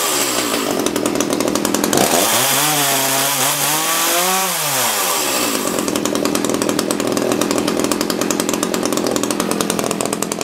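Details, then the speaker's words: Echo CS-330T top-handle chainsaw after old fuel containing water was swapped for fresh gas: crisp high idle, smooth climb to full revs and clean drop back without stumbling. It is running well. "that's it fresh gas runs pretty good"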